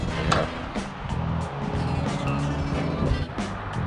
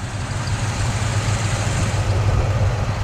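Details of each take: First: Free 1972 Cadillac Sedan DeVille started with ether: steady idle with a light quick tick about three a second, not rocking, no apparent misfire; suspected valvetrain tick, accelerator pump also bad. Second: 1972 Cadillac Sedan DeVille V8 idling low, steady and quiet with an even beat and no ticking after a hard drive; the earlier stuck valve or lifter tick is gone. Normal idle.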